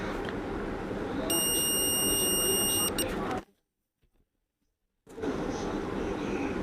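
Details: 775 DC motor armature tested with a multimeter: a steady high continuity beep holds under two seconds as probes bridge commutator segments; winding continuous, not disconnected anywhere, coil good.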